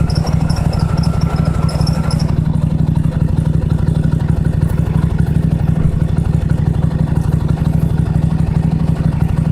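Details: Toro LX425 lawn tractor, cold start on jumper cables with choke on after battery dead a while, new spark plugs: steady even low thump about three pulses per second, no misses or knocks; started well, normal idle.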